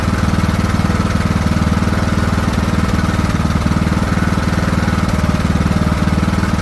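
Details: Craftsman T1600 riding mower after new carburetor replacing a corroded one, fresh fuel, mowing: steady single-cylinder thump about three per second with slight rise and fall in speed; hunting a little under load, surging, cause unknown.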